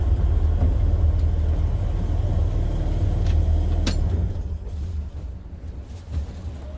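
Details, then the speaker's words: Morris Minor A-series engine with Judson supercharger kit, idling after the air filter was fitted: deep, steady, even low rumble about four beats per second, no knocks or whistles. Now sounds much more civilized, normal idle. "put the air filter on it and it sounds much more civilized"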